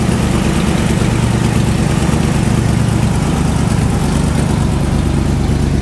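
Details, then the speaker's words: 1996 Ford F-250 at start-up idle, with a bad header. Loud low idle with a rough, loosely regular puffing tick about three per second over the rumble; the owner points out the exhaust manifold leak. "exhaust still sounds like crap because it's got a bad header but"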